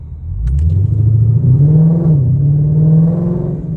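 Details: Supercharged Lexus RC F that had been stalling in first gear after tuning, pulling away after a restart: a deep engine note rising smoothly with no stumble or dying; it no longer stalls, which is thought to be because the relearn happens on the next startup.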